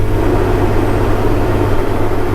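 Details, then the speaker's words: Diesel climbing a small grade under load during corn harvest: deep steady drone with a heavier rushing roar layered on as the engine cooling fan kicks on. "y'all hear that engine fan kicked on pretty good little grade here"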